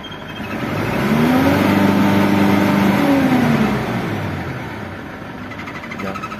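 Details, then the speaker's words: Old Mitsubishi Triton diesel with rough running, white smoke and low power: revs up then holds flat at 3,000 rpm in neutral and in first gear, as if limited; scanner shows manual transmission not recognised, suspected broken switch wire. "Tapi kita lihat dulu rpm-nya mentok berapa 3000 y RPM mentok 3.000"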